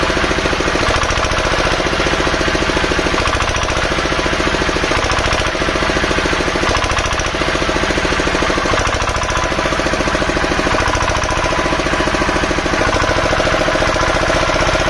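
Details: Field Marshall 5 HP single-cylinder diesel, after tappet (valve clearance) setting: strong, steady thump with even valve clatter; runs smoothly and evenly, sounds healthy.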